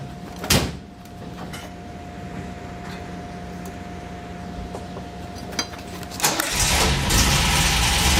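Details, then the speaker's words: Old car started cold outdoors on a hot day and not warmed up before moving off: a few quiet seconds, then it catches and settles into a loud, steady run; owner says it runs pretty good but needs warming up. "the old car actually runs pretty good but you got to let it warm up before you go take it off which I did not do"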